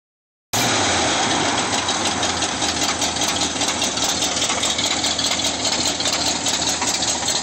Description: CHECK FLEXPLATE BOLTS! sounded like rod knock but we pulled the motor an trans apart and the flywheel to torque convertor bolts were loose